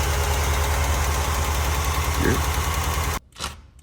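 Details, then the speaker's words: 1957 Chevy with a Goodwrench 350 small-block V8 idling with a steady light tick about three a second; a rocker arm was found slightly loose and tightened, and a collapsed lifter is suspected. "First thing we're gonna do is pop the valve cover off, and we found a rocker that's just a little bit loose."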